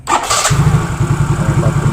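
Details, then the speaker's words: Yamaha Mio Soul GT fuel-injected scooter after replacing the bad injector with a new one (fuel pressure about 40 psi): fires up and settles into a steady, even idle with a regular low thrum, no stumbles or dying; normal idle. "kan normal ya guys tidak ada kendala apapun"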